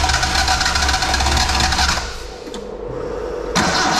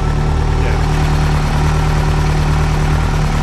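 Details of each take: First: Nissan Sunny truck (Datsun 1200) EFI conversion on Haltech, early start on a base map: long stumbling crank that catches, fades, recatches into a ragged idle; hard start from untuned fuel map needing more tuning. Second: Nissan Sunny truck (Datsun 1200) converted to Haltech EFI, started for the third time after about two years not running, tune still being learned via O2: deep, even idle with steady rumble and no misses; running smoothly.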